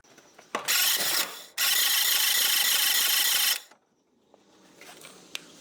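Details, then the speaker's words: 1973 Dodge D100, first start attempt in 10 years on jumper cables: starter spins about four turns a second in two bursts but never catches; weak ignition spark, coil or electronic ignition box suspected. "okay figured out one problem it's definitely got weak fire and uh it's too weak to to start it anyway"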